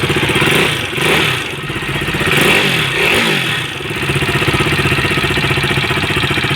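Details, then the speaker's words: KTM RC 390 engine with ticking: fast, even ticking on top of the engine through the revs; teardown found worn rocker and cam, attributed to an oversize valve shim. "Hello guys यह देख सकते हैं हमारे पास आई है RC 390 इसके engine में sound है टिक टिक टिक टिक"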